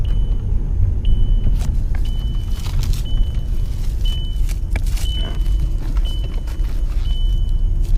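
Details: Volkswagen Passat diagnosed for an engine warning light, after the fuel system bled itself: low steady idle with a faint once-a-second beep; the engine runs evenly, a normal idle, and the light went out.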